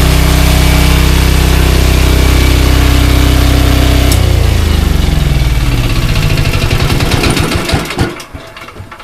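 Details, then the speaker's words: ETQ Chinese-made portable diesel generator running with oil topped up to full: steady even chug, quieter and less mechanical sounding, then dies away. "noisy but it sounds less mechanical this sounds a little quieter"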